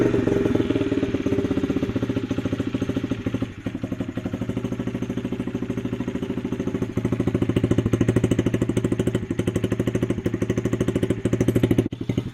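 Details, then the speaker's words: Honda CRF50 50cc single, dump find with likely non-factory exhaust, idle cranked up: buzzing raised idle popping about three times a second, revs easing down slowly; owner suspects sticking throttle cable, fits harder spring, also suspects vacuum leak. "There's an issue where it revs up and revs down slowly, so it seemed like the cable was sort of sticking."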